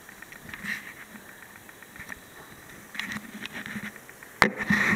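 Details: Dell Precision M3800 laptop plugged in, SSD being accessed: faint high buzzy static from under the machine near the power adapter plug, with pitch shifting as screen brightness changes; stops when unplugged, occurs with or without Windows booted.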